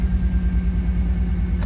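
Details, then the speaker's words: Car with reverse-stall problem after new fuel filter, injectors, idle air control valve and fuel pump regulator, warmed up a few minutes: low, steady idle in drive with even beat, no dipping or stalling; it later still died in reverse. "yes she's still running haha yes dammit yes I'm not gonna get too excited"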